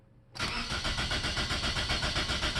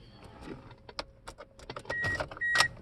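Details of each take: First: 2004 Toyota Corolla with a healthy battery and enough fuel: starter cranks at a steady, even rhythm with no firing or catch. It turns over but won't start; the fix was the EFI fuel management relay or fuse, which the owner suspects was hit by water. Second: 2004 Toyota Corolla that cranked but wouldn't start, after the EFI fuel pump relay was tested and put back: a few clicks and chimes, then the engine cranks briefly, catches at once and settles into an even, steady idle.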